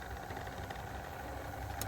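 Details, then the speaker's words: Mercedes G500 W463 G-Wagon steering column motor: even light whirring hum, faint steady tone and small click at end; tilt motor spins and works normally, while steering wheel tilt failed from broken dogbone coupling. "in my case the motor is working hearing something spinning but steering wheel is not working this one is working as you see perfect"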